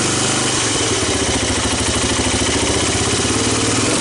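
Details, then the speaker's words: 1985 Honda ATC250ES Big Red three-wheeler, abandoned about 20 years with rodents, first start on starting fluid and fresh gas: steady, even single-cylinder thumping at a cold, choked idle, no knocks or misses; idle expected to come up. "give it a little more choke the light appears bright like the battery start the idle will probably come up"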